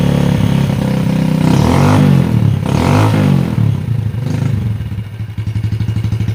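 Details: Yamaha Jupiter Z single-cylinder engine just after cylinder block and head installation, first start: revs cleanly and settles to a steady, smooth idle with no knock or rattle; oil seen circulating; normal idle.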